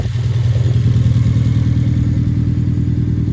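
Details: 2011 Hyundai Genesis Coupe at idle: deep lumpy idle with uneven stumble in exhaust rhythm, cylinder 4 misfire.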